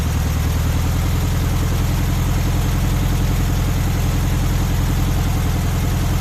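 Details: VW Beetle air-cooled flat-four after distributor timing set with timing light on the pulley mark: smooth, even putter at steady idle, regular beat, no misses or knocks; healthy normal idle.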